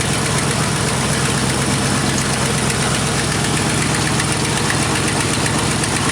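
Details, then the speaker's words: 1986 Camaro IROC-Z at first start after the broken Y-pipe fork was welded, with the exhaust now leak-free. A steady, even idle with a smooth, deep burble and no puffing or ticking is heard: normal idle. "exhaust is uh leak free now so uh we'll give it its first start you'll be able to hear the difference right it sounds a bunch better"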